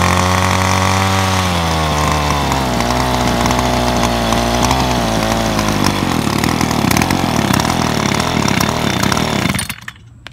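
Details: Ryobi SS30 30cc straight-shaft two-stroke trimmer, after fixing a primer bulb that would not fill with gas: crisp, steady buzz that revs up smoothly and holds even before cutting off; it runs healthy after the fix.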